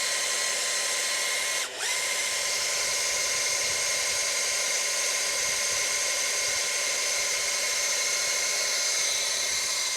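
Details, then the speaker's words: Priming the oil pump on a barn-find 1971 Ford F350 Crew Cab engine with a drill in reverse rotation: high steady whine that slows and sags as the pump loads up, showing oil is being pumped; oil then confirmed. "When it starts getting hard and it stresses the drill out, we know we we're pumping oil."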